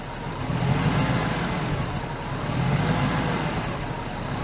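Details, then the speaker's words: Old Ford Crown Victoria after the throttle body was adjusted, throttle body cleaning still to come. The idle loads up and down on start-up, seems about to stall, then smooths out into a steady, even idle. "it gonna stall okay it smoothes out again"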